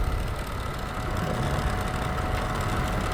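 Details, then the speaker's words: Dehumidifier that made weird noises, after its stuck-up shaft with excess play was pushed down with a screwdriver: even, quiet running hum with a faint steady tone and no rubbing or scraping; working properly. "I pushed it down and it's now gonna look quite and all the peers to be working as it should be"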